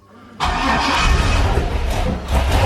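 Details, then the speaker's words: 6.0 LS V8 swapped into a Cadillac coupe, first start with a wire run straight to battery; catches at once into a loud, deep, lumpy rumble with oil pressure, normal start, small oil leak at a rear fitting. "we got oil pressure you got oil pressure No hell yeah dude burn like a kitten"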